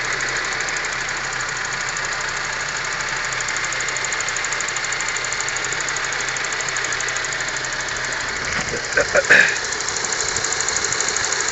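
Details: Honda Civic 4-door engine running steady with a faint fast ticking knock in the upper range and a couple of louder taps near the end; knock, cause unclear.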